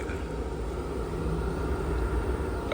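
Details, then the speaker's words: Furnace in 6° outside weather after repair of a seized inducer: steady, even low roar with smooth hum and no scraping or squeal; inducer spinning freely and burner firing normally. "that fire roaring look that boy spinning like crazy that's how we supposed to do when we turned it on first but it wasn't it was seized up so we good to go man"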